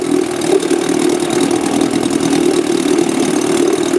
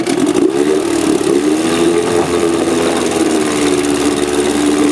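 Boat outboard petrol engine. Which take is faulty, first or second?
second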